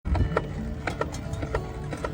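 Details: Electric scooter hub motor: light scraping tick about twice a second in time with the wheel, still present with the brake removed; suspected rotor magnets rubbing (扫膛), motor reopened for inspection.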